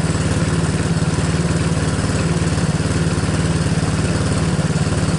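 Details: Tao Motors mini quad, single-cylinder, idling while alternator tested, charging at 14.5 V; steady even putter about four beats a second, no knocks or misses, healthy.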